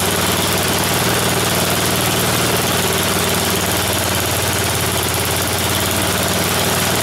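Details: Snowblower small engine on a final run after its tire repair, before returning it to the owner. Even, steady putter at constant speed with no misses, knocks or surging; idling healthy.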